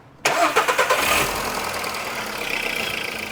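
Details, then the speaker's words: Skoda Rapid 1.6 16V CFNA after exhaust manifold cracks were welded, upper O2 sensor replaced by a catalyst backpressure gauge, engine already warm; quick catch to smooth, steady idle, no knock or ticking; sound normalized, normal idle, harsh only when cold. "Так, ребят, сейчас звук у мотора нормализовался, но он у меня на самом деле уже и прогрет."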